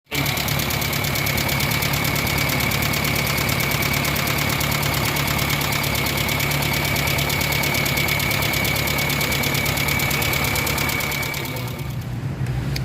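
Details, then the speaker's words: Kia Pride at idle with sharp, fast ticking about four per second from the rocker arm system; exhaust-side adjusters stuck with no play. "so ang issue nito is malakas yung kanyang knocking yyung topping ng kanyang rocker arm system"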